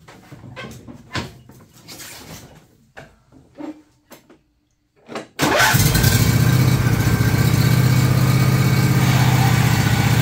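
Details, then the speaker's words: John Deere LA135 lawn tractor running with the clutch let out: harsh, rough drone from two worn idler pulley bearings under the body between the deck and body, which tension the belt. "that is the uh idler bearings idler pulley bearings uh that is sits under the body between the deck and the body there's two of them there"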